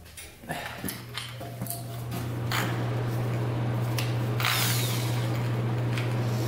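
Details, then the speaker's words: 2000 Cobra 50cc racing mini two-stroke dirt bike, spun with a drill on the crank: even whine, no firing, cranks but won't start; owner suspects the bad-looking air filter and plans gas down the carburetor. "all right yeah it didn't start up but I'm guessing that this air filter is not the greatest it looks pretty bad so I just took that off"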